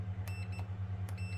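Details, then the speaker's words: HP ProBook 450 G4 (board DA0X83MB6H0 rev H), charging but no power due to faulty power switch: short, sharp high continuity beeps over a low hum as the replacement switch is pressed; the switch conducts and works. "ඒ කියන්නේ switch එක working තත්ත්වයක තියෙනවා."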